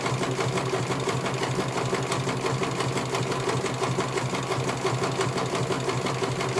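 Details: CNY computer embroidery machine in for service; at first its motor (dinamo) would not turn at all and the bobbin case was missing. Steady, even needle clatter at about three stitches a second with no knocks or grinding as it finishes one colour; normal stitching, judged very good.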